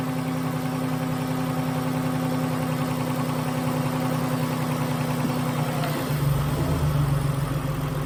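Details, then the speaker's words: 2011 Dodge Nitro after replacing worn rocker shaft that caused lifter noise and misfire: smooth, even idle with no tapping, all six cylinders firing, clean rev blip settling back; running healthy. "I'd say that's a success all the cylinders are there seems to be running pretty well"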